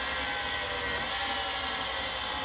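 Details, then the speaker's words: Late-1980s Samsung VT7253CC VCR in mint condition, playing a tape: a steady, hissy whir with faint high tones from noisy video head drum bearings, which only got noisy once it warmed up. "so you can hear the bearings in the head are noisy and they only got noisy once it warmed up so you can definitely tell it's the bearings"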